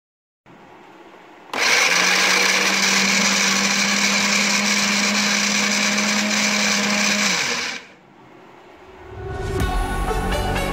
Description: In this video I'm showing you how I've fixed my noisy Philips HR7762/90 food processor by cleaning the gears and replacing the grease.